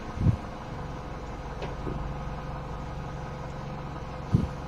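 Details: 2011 Mini Cooper S after a misfire fault was traced to a failed ignition coil and a new Bosch coil fitted, codes reset; quiet steady idle, even low rumble with no stumble or misfire, a couple of stray background thumps; normal idle.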